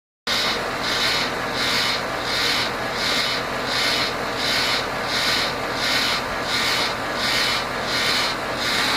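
A high, raspy rub comes in even pulses about 86 times a minute over a steady background; something is rubbing, cause unknown.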